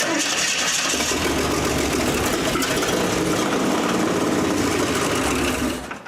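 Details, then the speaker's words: 1927 Hudson, first run in seven years, points set, no fuel reaching carburettor yet: old engine catches and runs unevenly a few seconds, then dies; fuel starvation, electric fuel pump planned. "we're not getting fuels but it runs you know I'll stick that in the can of gas or electric fuel pump"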